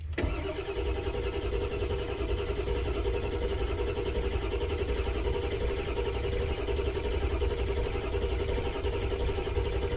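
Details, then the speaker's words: 1999 Ford F-250 7.3 Power Stroke diesel after harness repairs, weak batteries: starter churns about ten seconds at a slow, uneven beat without firing; now building 500 psi oil pressure, but air in the high-pressure oil system may need purging. "all right so we're building 500 pounds but sometimes there's air so we got to get the air out"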